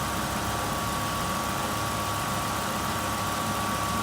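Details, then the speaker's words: 2005 Ford F-150 V8 (4.6 L per description, 5.4 L Triton per owner) after alternator replacement and overnight battery charge: steady, even idle with A/C on high and lights on, no knocks, misses or whine; charging about 14–14.19 V, healthy. "everything's running now a C's on high the lights are on and it showed me 14"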